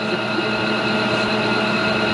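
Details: Casita trailer propane furnace, removed from the trailer to reach the fan motor behind a bad squeak, now running: a smooth, constant fan whir with a steady hum and no squeak or scrape; the blower runs normally.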